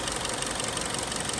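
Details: 2011 Kia Cerato, G4KD engine, 211k mileage, owner complained of knock when cold and a clatter on throttle on/off; at idle it runs steady, even and very smooth with a quick regular beat, no knock or rattle: normal idle.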